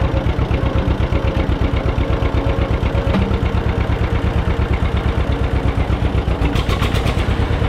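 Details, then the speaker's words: John Deere 630 tractor, barn find, just started; slow lumpy two-cylinder idle with a sharp puffing tick on each firing pulse from a small exhaust manifold leak blowing out; carburetor also seems dirty, engine tends to die out. "So, it sounds like that ticking noise is a little leak here on the manifold. It's blowing out right here."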